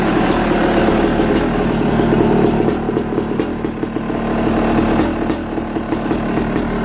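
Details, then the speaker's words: Yamaha YZ250 two-stroke, stock-sounding, after subframe straightening and airbox cleaning (sooty filter, oil seen); crisp, even crackle rising and falling cleanly with throttle, no knocks or misfires; normal running and revving. "[Music] and it's nice and straight well it sounds good sounds stock but it sounds good"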